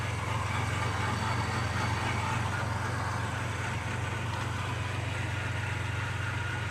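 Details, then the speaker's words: 1990 Mitsubishi Montero at first start: low idle rumble with an uneven, lumpy beat of about four pulses a second; stumbling rough idle, running rich with black smoke. "It's stumbling, but it's running. Definitely rich. It's puffing out that black smoke still."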